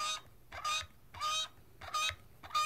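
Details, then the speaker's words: HIT Swage-It hydraulic crimping tool crimping 5/16" wire rope: short chirpy squeak with each quick pump stroke, about every half second, which is the normal sound of hydraulic pressure building. "so you hear that squeaking noise that means it's building up hydraulic pressure to take the tool so we're gonna continue pumping"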